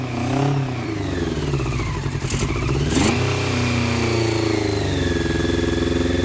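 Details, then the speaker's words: 1990 Honda CBR600F four-cylinder, first start after sitting, carb leaking fuel, started with starter fluid: high uneven idle surging and sagging with choke nearly off; owner suspects an air leak; erratic idle. "I got the choke pretty much all the way off, but I'm still having that issue. I mean, it sounds like an air leak cuz I just"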